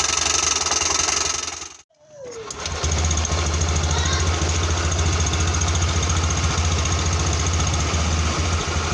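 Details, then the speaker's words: Honda Beat scooter with rough CVT noise caused by a wrongly installed kick-start gear, after the repair: following a brief dropout it settles into an even, steady drone with no slipping, rattle or judder, normal running. "di bagian CPT sudah terdengar halus ya teman-teman ya"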